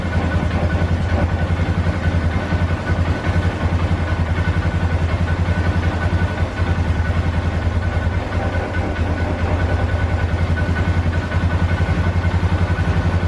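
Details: 2012 Polaris Sportsman 400 HO after the stalling problem was fixed. Even, steady idle at roughly 1400 rpm with a firm low thump and no stumbling or dying. Normal idle.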